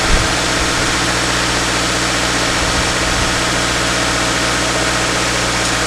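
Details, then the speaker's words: 2013 Subaru Impreza, first start after engine installation, still cold and not yet warmed up, weak battery: steady, even idle with smooth low hum and no knocks, ticks or misses; normal idle. "that's what sounds pretty good uh right now still need to warm up"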